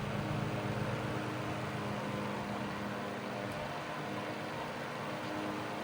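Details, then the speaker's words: 1941 Gilbert fan, about 80–90 years old, sold as "works but makes noise". The noise and a loud hum are now fixed. Quiet, steady motor hum with an even whoosh of air, no rattles or scraping; normal running. "This fan still works great 80, 90 years later. The tag that this fan described was 1930s fan works but makes noise. Well, I fixed that noise. It was also making a super huge humming sound too, but I corrected that and it works great."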